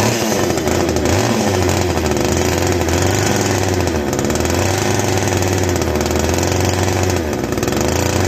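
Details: Castor 330 Antivib chainsaw (rebranded Alpina), before teardown: strong steady two-stroke drone holding even revs, no misses or bogging; sounds like a strong runner.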